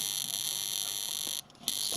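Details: Sharp R-350E inverter microwave, 2023, on power-up: harsh steady high-pitched ominous buzz briefly dropping out; waveguide, magnetron and HV transformer checked, fault traced to arcing loose solder joint at PSR on incoming 240 V supply board.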